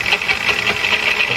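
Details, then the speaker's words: Growling, rasping noise pulsing about five times a second from the lathe while machining a new 5-inch disc for a Gingery mill transmission upgrade; sounds like a gearbox but owner doubts it is gear-related; source not yet found. "that um it's got a it's got a terrible growling noise sounds like a gearbox but it's i don't i don't think it's a"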